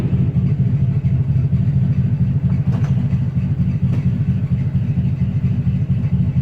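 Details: 1961 Cadillac Coupe DeVille V8, cold start in summer heat after sitting about four months, with gas poured into the carburetor: an even idle with no misses but a loud, raw, deep burble. One brand-new muffler is blown, leaving that side straight-piped.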